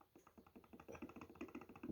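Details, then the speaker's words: Hollow regular clicking, six or seven a second, as the steering box of a VAZ 2101 is rocked by hand; excessive play in the steering box, so it must be replaced, as tightening the adjuster bolt only reduces it slightly. "чуєте як стукає то есть рульову колонку надо міняти"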